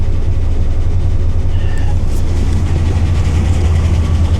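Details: Suspected flood-damaged RAM 1500 at auction, gauge cluster flashing then dying: deep, lumpy idle with uneven pulse about two beats a second; rough idle, cause suspected, not confirmed.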